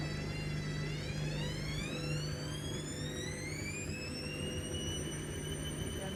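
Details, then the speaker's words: New Hoover DXC C49W3 Dynamic Next washing machine in spin: a high whine climbing in pitch as the drum speeds up and staying loud, metered near 80 dB with peaks of 88 dB; squeal on spin, cause unknown. "MH it's nearly 80 DB well actually the Max has been 88 come on that's that's really l"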